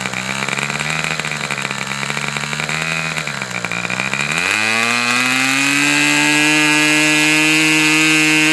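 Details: Fox twin-cylinder glow model engine, probably the final run, cooler windy conditions: crisp buzz climbs smoothly to a clean, steady high pitch with no misses or sag; healthy, well-tuned run.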